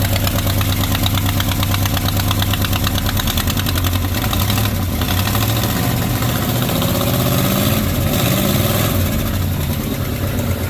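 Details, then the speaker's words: 1970 Chrysler Newport convertible big V8, first run after sitting, owner notes a vacuum leak and possibly no accelerator pump: loud raspy chuffing at every firing pulse at idle, a very bad exhaust leak; lifters fairly quiet. "Yeah, it's got a real bad exhaust, but run"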